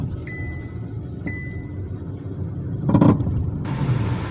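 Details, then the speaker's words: Car on a test drive over the same bumpy patch after replacing stabilizer links and outer tie rods: cabin road rumble with one soft thump, no clunks or rattles from the front end; quiet front suspension over bumps. "sounds absolutely quiet in here i'm not quiet but you get what i'm trying to say it sounds just how the way this car should sound if you're going over bumps"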